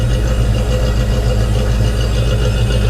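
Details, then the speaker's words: 1991 Ford Foxbody Mustang 5.0 LX V8, after winter storage since October and a battery swap, warming up in the 30s °F; recorded at the tailpipe, deep steady smooth burble, no misses or knocks, healthy idle. "man that 5.0 listen to that thing butter"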